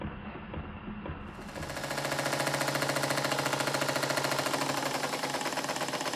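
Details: Model steam engine on bench, second steam test after modifications: fast, hard, uneven exhaust chatter about 3.5 beats a second, still like a machine gun though much improved. Rough exhaust beat.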